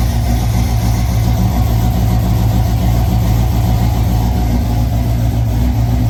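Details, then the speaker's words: Rebuilt supercharged V8 in Ford Falcon gasser after Drag Week damage (lifters, rockers, pushrods replaced), fired up fully assembled: deep, loud, steady idle with lumpy cam beat, no clatter or ticking; healthy and even. "But uh but the engine did start. There you go. All right, we are going to fire up the engine fully put together."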